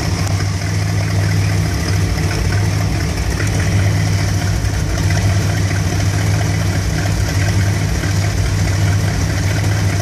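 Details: 1975 Dodge B200 Tradesman van, 360 5.9L 2bbl V8, warmed up, after ignition coil replacement: idle lopes and wavers unevenly; rough idle persists though it no longer stalls.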